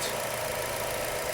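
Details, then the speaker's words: 2016 Chevy Cruze 1.4L after a single part replacement: smooth even idle, steady tone, no clicking; clicking noise and code P0496 fixed, no check engine light. "I'm sure it's fixed and as you can hear we have no clicking noise which is"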